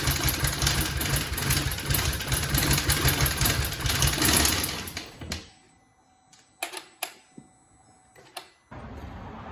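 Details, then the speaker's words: 2018 Hyundai Tucson 2.0 that suddenly quit running, cranking with only an ECM knock sensor code: rough, rattling crank at about three beats a second, harsher than normal, ending in a few clicks; the noise seems to come from the timing chain area, suspected timing fault. "That don't sound good. Since I don't have any codes, I think what we're gonna have to do at this point is check the timing on it. That's probably the next best thing to do. I mean, it's obviously, the sound sounds like it's coming from the chain area to me."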